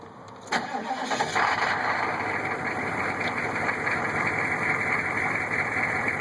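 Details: Newly installed rebuilt GM 6.5 diesel long block cranks, starts and idles, recorded at the removed inspection cover: faint knock about four times a second over the clatter. Weak oil flow to rear rockers; flexplate, converter bolts and rocker buttons fine. Cause unknown.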